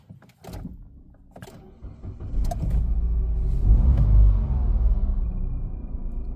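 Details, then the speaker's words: 2013 Nissan Note e-Power supercharged three-cylinder direct-injection engine, brought in for poor driving after a small belt came off, cranks and settles into a rough, lumpy idle with the check engine light on and a catalyst code stored, indicating a misfire. "It's running really rough. And the check engine light is on."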